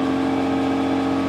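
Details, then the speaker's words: BMW M3 Competition, recorded from under the car in third gear after repairing the failed park brake cable clip that let the cables touch the driveshaft: smooth steady whir, ticking/grinding gone; slight handbrake drag remains. "and this is third gear and as you can hear no more ticking"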